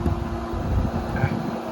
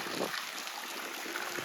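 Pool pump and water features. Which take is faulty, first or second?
second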